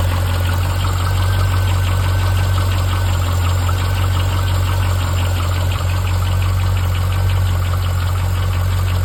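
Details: Chevrolet C5 Corvette V8 at idle: light, fairly quick tapping over the low rumble; owner suspects piston slap or lifter failure, not confirmed.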